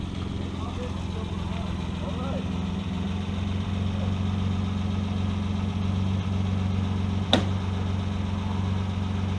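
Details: Sound of a one-owner 1962 Austin Healey 3000 MK2 BT7 fired up: a low, steady idle thrum at about four beats a second with no misfires or knocks, a normal, clean idle.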